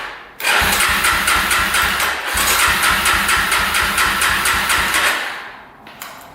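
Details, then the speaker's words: 2005 Yamaha TTR250 single-cylinder after sitting, second start attempt with gas now reaching the carb despite a clogged petcock: even chug, roughly two beats a second, for about five seconds with no firing; owner suspects a gummed carb. "all right cylinder's all lubed up so we've got spark it must be a fuel delivery problem so comes the carb next"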